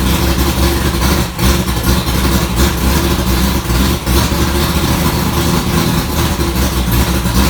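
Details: 1965 Ford Falcon race car V8 after first start following rewiring, transmission fluid being added: loud lumpy idle holding steady without stumbling or knocking; smoke is just burning dust, idling healthy.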